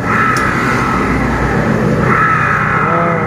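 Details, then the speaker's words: Honda Beat FI (2016–2019) CVT, rear wheel turned without the engine running: a steady high whine near the pulley that appears only with the pulley fitted, traced to a worn inner bearing in the secondary pulley. "Ternyata, kerusakannya terletak pada bantalan bagian dalam ini."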